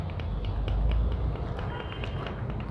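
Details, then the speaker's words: Yamaha FZ motorcycle, worn clutch basket with play: light regular ticking about four times a second over a low rumble. It clicks at slow running but not at speed. A full clutch set is being fitted; re-riveted or hardened-rubber baskets can also knock. "आप देख सकते हैं इसके अंदर play आ गया, ये play रहने की वजह से ये आवाज़ आता।"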